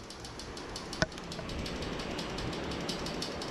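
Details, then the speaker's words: Royal Enfield Himalayan BS4 2017, warm after resting about one hour: quick light even ticking over a quiet single-cylinder idle from the inlet valve; excessive valve clearance. "and the inlet valve it's not supposed to sound like that"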